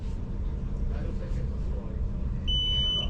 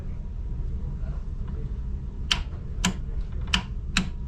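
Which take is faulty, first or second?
second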